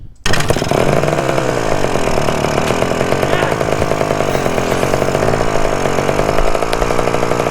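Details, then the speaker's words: 1974 Honda MT250 Elsinore two-stroke at first startup after fitting the correct ignition coil: screams flat out at steady high revs that never drop. The throttle was stuck, and it kept running even with the spark plug boot pulled off. "The throttle was stuck so bad, and even though I pulled the spark plug boot off, the engine was somehow still running. Luckily, the engine finally died."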